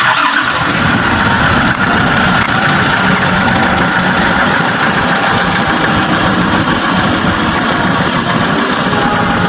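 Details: Nissan NV350 diesel during oil change and check-up, just after draining the fuel filter and priming it by hand pump: catches right away and settles into a steady, even idle with no misses or stumbles, running normally.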